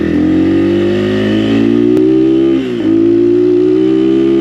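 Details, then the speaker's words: XPro Templar 250 X 250cc six-speed dirt bike at about 100 miles, ridden: steady drone briefly sags in pitch and volume, a bog under throttle; rider suspects the stock carburetor and plans an adjustable one with rejetting. "Like right there, I definitely felt a bog. Right there, bogging. So I think a new carburetor would help with that a lot."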